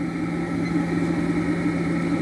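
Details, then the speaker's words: Vintage electric motor from a two-motor test (1 hp Westinghouse machine tool motor or early Dumore), rated 220 V but run on 120 V drawing 0.7 A: steady mains hum with a faint gritty rumble underneath; bearings sound tired, otherwise quiet. "Of course, it wouldn't have much torque either, but just for a test run, it's fine like that. Bearings sound like they're a little tired."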